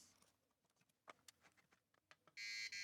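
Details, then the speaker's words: 4116 DRAM chip from a Sinclair ZX Spectrum 48k Issue 6A, tested after a current-limited power-up in the board. Faint clicks, then a loud steady high-pitched fail buzzer. A second chip has died. "yep okay yep so there's two four one six chips there that have now expired after being plugged into this board"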